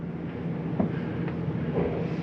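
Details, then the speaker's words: 2022 Jayco North Point 382FLRB RV: climate control switched on, mode set to cool and the rooftop AC cranked up; steady low hum with fan rush building evenly, no rattles or squeals, starting up normally. "Next one's going to be your climate control. Turn that on and change our mode to cool. Crank up the AC unit."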